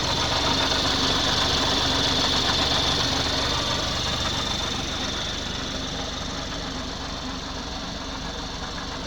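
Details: 2019 BMW X4 30i G02 idling stationary after coolant loss ("coolant level too low") and refill with G12+ and distilled water: steady quick even tick about four per second over loud hiss; no warnings, owner unsure if normal.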